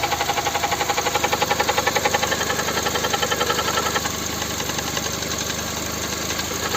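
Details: Cold-start idle on a VAG 1.6 MPI (BSE) engine (Volkswagen/Skoda): sharp, regular ticking knock about four per second that fades slightly after a few seconds; engine knock, source unconfirmed.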